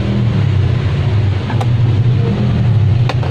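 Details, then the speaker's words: Electric fan powered on: steady low hum with no blade rotation, motor won't turn; shaft likely stuck in the bushing from dried-out oil or a worn loose bushing needing replacement. "Wala nga. Umuugong lang. Ayan oh. Ayan. pagkaganyan, maaring stock up yung kanyang shating sa busing."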